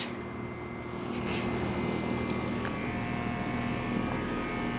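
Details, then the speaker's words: Heil central air conditioner with scroll compressor, recorded outdoors by the disconnect box just after startup: steady low compressor hum and smooth fan whoosh, no rattles or knocks, blowing hot air; a nice quiet, normally running unit. "Quiet unit. It's getting some hot air. Nice quiet unit."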